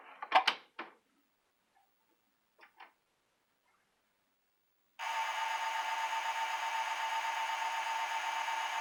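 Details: Sega CD optical drive failing to read, with grinding noise reported: a few sharp clicks and a pause, then a constant high-pitched whine from the spinning drive, cause unknown. Optical drive high-pitched whine.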